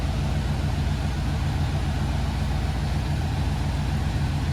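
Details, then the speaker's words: Chevy G20 4x4 camper van on its first short drive out of the shop after the 4x4 conversion, transmission shifting twice: steady low engine and road drone while cruising, no creaks or clunks; drivetrain sounds healthy. "I heard no noises or anything, no creaks, clacks, or anything like that. Nothing was bumping, nothing was hitting,"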